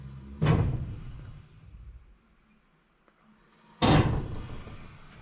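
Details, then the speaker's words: Irrigation system starting up causes two heavy hollow thumps about three seconds apart, ringing through the house plumbing; water hammer, suspected from the relatively new expansion tank, which was seen moving. "you know what i think the sound actually came from the expansion tank and the expansion tank is it's relatively new but i saw it move"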